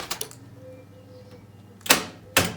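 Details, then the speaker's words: BMW E30 with swapped M52B28 engine, start attempt after tapping the starter with a hammer: two sharp clicks half a second apart without cranking; sticking starter now trying to engage. "Au moins là, on entend que le démarreur il veut se lancer, chose qu'on n'avait pas avant."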